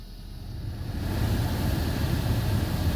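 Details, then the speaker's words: 2016 Hyundai Sonata Hybrid after cabin air filter replacement, AC on at max, checked through fan speeds: airflow rush swells then holds an even steady roar, no flapping or whistling; blower normal. "There's also no weird whistles, which can happen if something's not quite tight. Everything sounds pretty good through the speeds."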